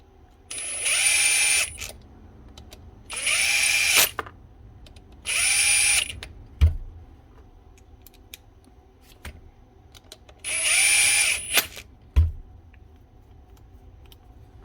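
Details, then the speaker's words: Makita DGA456 18V cordless grinder, 2019, after stator field packed out and head bearing replaced: four short bursts spinning up to a clean steady high whine, winding down freely without grinding; normal run. "Much better. Give it a quick test before we do the guard. Spot on. That will do the job nicely."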